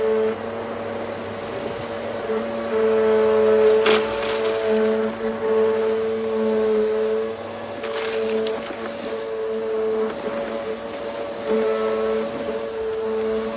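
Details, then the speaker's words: Hoover Hurricane 2000 watt bagless Pets upright vacuum on carpet: steady, even motor hum with a constant whirr from the brush bar working the pile, no catching or grinding; powerful suction, normal healthy operation. "You can hear the brush bar panning the carpet. It's done a really good job at revitalizing the pile as well."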